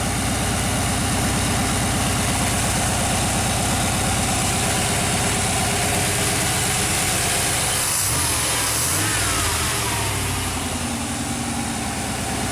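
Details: Chevy truck with 5.7L throttle-body-injected V8, new PROM chip (ID 6291) installed, warming up: fast even idle around 1,000 rpm, oxygen sensor not pegged rich, ignition timing unchecked.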